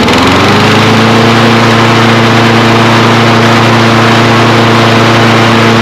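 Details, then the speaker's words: Kohler engine on a Toro Recycler mower, previously over-revving from a suspected governor fault, after repair with a new belt fitted. It starts on the first pull and settles to a steady speed with no hunting: the governor now works, normal running. "pull hey and that sounds great"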